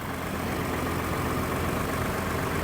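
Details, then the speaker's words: 2012 Ford F-150 EcoBoost 3.5L twin-turbo FX4, about 160,000 miles, recovered-theft truck low on fuel: smooth, even low rumble with no knocks, ticks or misses; idling cleanly. "it purrs like a kitten man listen to"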